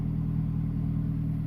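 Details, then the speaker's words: After turbocharger replacement on a 2008 MazdaSpeed3 GT (oil-primed by cranking with fuel injector relay pulled), engine starts and holds a steady, smooth idle with no knocks; still smoking slightly, owner thinks condensation or leftover residue in turbo. "and so far seems okay it started no idling problems but smoking a little bit still but I think that's just condensation and maybe just stuff left over inside the turbo"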